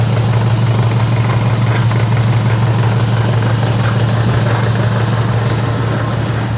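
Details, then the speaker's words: AWD car on a lift with wheels driven in gear, heard through a long screwdriver: steady low whirring hum pulsing about twice a second from a bad wheel bearing, also heard as humming while driving and when turning. "oh yeah this one it's definitely bad it's making a whirring sound maybe I can aside that's quiet this is a bad wheel bearing right here"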